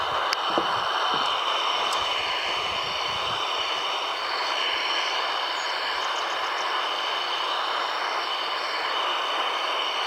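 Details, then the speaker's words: Shortwave radio near off-grid solar house after plugging in a filter: even hiss of static with faint clicks but none of the inverter hum; no inverter interference. "So let's turn this on. There's still some static, but none of the hum."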